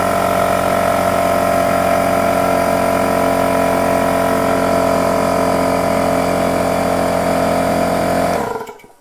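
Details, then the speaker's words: Porter-Cable pancake air compressor, older unit, running: a loud steady drone with a sharp whine for about eight seconds, then cutting off; excessively loud running, owner says it needs some love. "that's ridiculously loud i hope that came through let me know if you've heard that so that's my old compressor and it also it's just it needs some love and it needs to go somewhere else"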